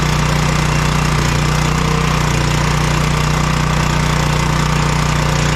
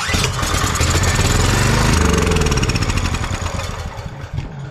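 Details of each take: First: Generator engine after carburetor cleaning for old-gas crank no start, choked, no fuel bowl leaks: steady, even chugging at constant speed with no surging, hunting or misses; normal running after repair. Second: Crank-no-start generator, fuel on, choke on, with starter fluid sprayed into the intake: the engine catches at once and fires steadily at about 220 a minute, so spark is fine and the fault is fuel; the carburetor is suspected (old gas).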